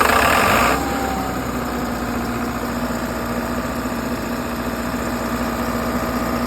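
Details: 60kW Kohler REOZJ diesel generator on a mobile MRI/X-ray trailer, running with fuel solenoid wired in and starter jumped after control board failed. Brief louder burst, then steady low diesel hum with even beat, no knocks; normal idle.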